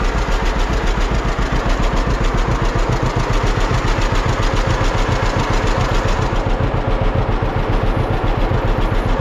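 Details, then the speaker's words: 1946 John Deere BN two-cylinder tractor on a 47°F day, after carburetor rebuild and governor throttle control rod adjustment to fix earlier surging: slow, even thump at a steady idle with no hunting or surging. Idling normally. "I'll fire up the tractor and I think you'll agree once you hear it that uh the tractor seems to run quite quite well now"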